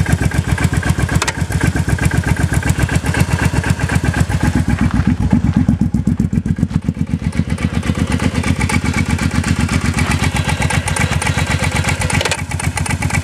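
Steady running motorcycle with a regular low clunk about four times a second over the engine note; cause not yet pinned down.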